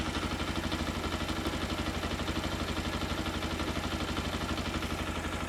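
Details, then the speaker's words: Keeway RKR 125 motorcycle, after fitting new spark plugs and running on a booster pack: small single thumps at a steady putter of about three beats a second with no misfires, slightly hesitant at first; normal idle. "ah yes she's running right then running sounds like it's R all right as well it's a bit hesitant I think see if the battery's getting"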